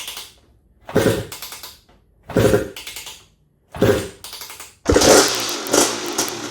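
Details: Honda TRX250R two-stroke on 38:1 premix, first ever start after switching from HPI to OEM ignition at zero-degree timing, kick-started: three short bursts catching briefly, then fires and keeps running with crisp rising rev. Engine starts and runs.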